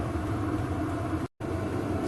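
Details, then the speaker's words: VEVOR 8kW diesel heater running in workshop: steady low rumble with soft even whoosh, no knocks or rattles; exhaust louder than pump, unit itself quiet; owner plans extra muffler; normal running. "but actually unit itself is pretty quiet not bad at all"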